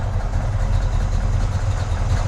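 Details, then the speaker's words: 1965 Pontiac GTO convertible, 389 V8 Tri-Power, 4-speed Muncie, in neutral warming up: smooth, deep idle at about 900 rpm with a steady rumble, no misfire lope or knocking. The engine sounds healthy. "Engine sounds healthy."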